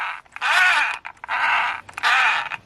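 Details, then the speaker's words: Gritty whirring bursts as the wheels are rolled by hand with the gearbox cover off after a crash; little debris inside but drivetrain sounds rough, cause uncertain. "well, something in there doesn't sound right."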